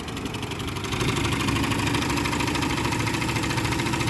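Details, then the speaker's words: Big-block V8 OBS street truck first fire-up: catches and settles into lumpy uneven idle with a missing beat; dead cylinder misfire, owner suspects a couple of stuck lifters. "Got a dead cylinder. Woo! Yeah, it sounds like a couple lifters are stuck. But hey, it does fire up."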